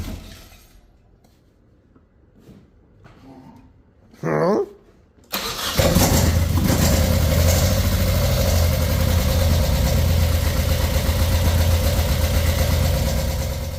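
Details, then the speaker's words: Nissan 240SX after new fuel pump, cleaned tank, new fuel lines and distributor cap: short crank then catches and runs lumpy, uneven chuff about 2.5 per second, like two cylinders; misfire, bad injectors suspected. "could tell you now it definitely does sound like it's on like two cylinders or something"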